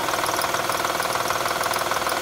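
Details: 2007 Honda Odyssey 3.5 idling: quick, even ticking rattle from a noisy hydraulic timing belt tensioner, diagnosed before repair; alternator also noisy when turning.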